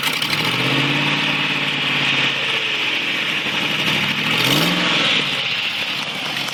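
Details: 2004 Land Rover Discovery engine running with loud, raspy, muscle-car rumble and rough pulsing edge; caused by exhaust manifold leak, fixed by replacing the exhaust manifold gasket.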